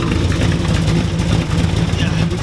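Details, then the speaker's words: 1966 Chevrolet Impala V8 (4,000 rpm redline) with long 24-inch glasspack mufflers mounted over the axle: lumpy, low burble with a loose, puffing rasp on each pulse, because the glasspack exhaust is leaking badly. "you can see them ripping it up because they're over axle and they leak really bad. They make terrible obnoxious noise."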